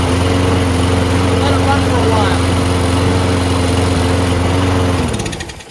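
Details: Lawnmower that wouldn't start after winter storage, running after a quick carburetor clean of ethanol-gummed jets: steady, even drone for five seconds before shutting off, no surging or misfire; normal running.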